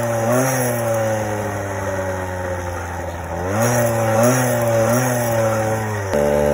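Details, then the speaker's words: Motorized bicycle 50cc two-stroke single-piece cylinder with chrome lining, upgraded, about 34 mph; buzzing high wavering idle with pitch hunting up and down; uneven idle, owner suspects slightly lean mixture, later richened by moving needle clip. "this little motor is upgraded 34 miles an hour still sounds like it's a little what's your fault though lean see how long it takes to settle"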